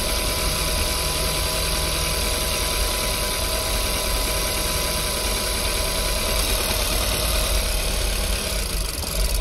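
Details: Audi, 171,000 km, warmed up, winter: idle with uneven lumpy beat, no clean rhythm, then stalls; scanner reports misfires on cylinders 4 and 2, cylinder 3 spark good, cylinder dropping out.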